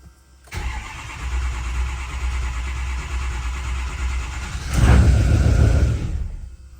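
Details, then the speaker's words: Built 6.0 Powerstroke diesel with a tuner connected; it reads about 260 injection pressure and 14 duty cycle with the engine off. It catches, runs rough for seconds, flares, then dies: starts then stalls, cause not yet confirmed. "So it starts, and then it dies. It's quite interesting."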